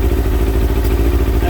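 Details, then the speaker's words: Kawasaki ZX6R J2 four-cylinder after carb rebuild with new main jets and needle clip change, warming at 55 degrees, before adjusting carbs 1 and 2: lumpy, irregular idle; carburettors out of balance. "You can see that it's quite out. Now what I'm going to do, I'm going to put the screwdriver on number 1."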